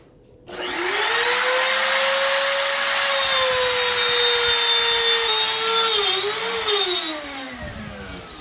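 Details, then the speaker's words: Grizzly T27139 quarter-inch laminate trim router with plunge base, about 4 months old, cutting a circle: spins up to a steady high whine, then sags and winds down mid-pass, cutting out three times in under a turn; intermittent cut-out, cause unknown. "now i'm starting to wonder what's going on i haven't even made a whole turn and this inched off three times on me"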